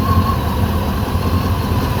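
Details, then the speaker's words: Rover SD1 3500 Vanden Plas V8, running after about 10 years off the road: steady, even low burble with no misses, knocks or ticks; idles smoothly, runs pretty sweet, normal idle. "well up of it up well I think so as you can see she runs pretty sweet"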